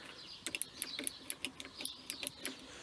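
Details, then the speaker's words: Qualcast electric lawnmower not working: pressing button and pulling lever gives sharp repeated switch clicks with no motor hum; wire test found broken wire inside the cable sheath cutting power. "So if I press the button and pull the lever, you can hear it clicking but not doing anything."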